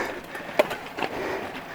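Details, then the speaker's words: Mountain bike with SRAM GX AXS on a Shimano drivetrain, shifting under load on a steep climb: one sharp loud pop when shifting into a harder gear; rough shift, cause unclear. "especially shifting into harder gears kind of has this loud pop not sure how well you can hear that that doesn't sound awesome"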